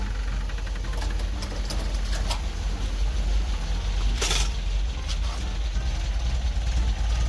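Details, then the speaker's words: 1974.5 MGB with newly installed cheap 4 psi inline fuel pump, no regulator yet: low, lumpy idle that stumbles and chokes a little; pressure flooding the carbs, regulator planned; rich running from excess fuel pressure. "car's choking a little all right guys so the new fuel pump is installed it definitely works uh the four psi was flooding my motor"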